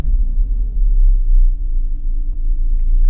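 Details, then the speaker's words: Engine on AEM Infinity ECU, idle airflow feedback demo after a throttle blip: deep, uneven low rumble that sags and surges as the slow feedback leaves idle below target and nearly stalls. "can see that the ECU has to add feedback and if it's adding feedback slowly then the engine spins a while idling below our target"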